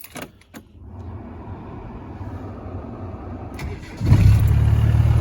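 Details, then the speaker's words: Restored 1993 Land Rover Defender 90 200Tdi diesel: quiet lead-in, then it catches and settles to a steady even low rumble; healthy cold start with a small normal plume of smoke on startup. "There is a little plume of smoke on startup, but that's quite normal."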